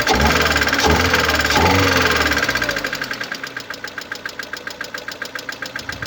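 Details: 2011 Mercedes-Benz A160 (W169), 1498 cc petrol M266E15, 95 PS, 97,955 km: crisp, evenly spaced ticking about four times a second over the running engine, caused by a defective hydraulic lifter.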